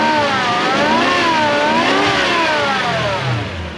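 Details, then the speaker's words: Toyota Soarer SC400 V8, warm after coilover removal and a cooling-system bleed: a clear whine that rises and falls with each rev blip; the noise is rotational and goes away with the accessory drive belt off, pointing to a belt-driven accessory at the front. "So, diagnosis of a noise like this. It's rotational. Whip the fan belt off, or the accessory, the drive belt, noise goes away."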